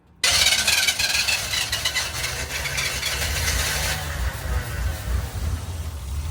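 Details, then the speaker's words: 1982 K10 V8 idling lumpy and uneven with a burbling note while a $20 junkyard Holley 600 CFM vacuum-secondary carburetor is being tested and tuned; it is still dumping fuel and running rich. "yeah she's still dumping fuel yeah she is from what I could tell"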